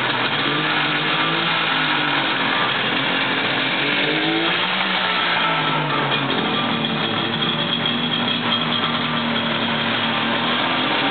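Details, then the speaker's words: 1964 Saab GT barn find, two-stroke engine rebored with new rods and modified: buzzy note rising and falling smoothly as blipped, two fuel pumps audible, no knocks or misfires; healthy running engine. "let me uh start it up for you before we bring this to the finale and get a little engine sound going"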